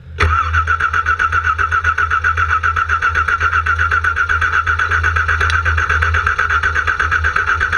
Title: No start raw